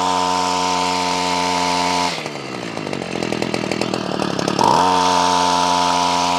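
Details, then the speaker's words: Ryobi CS26 two-stroke trimmer, earlier a no-start, now on a replacement pre-adjusted carburetor with idle raised: steady, even idle, a quick throttle blip, then back to the same smooth idle; runs clean. "now this comes pre adjusted I actually want to raise the idle a little bit so let's do that let's raise the idle now she runs good"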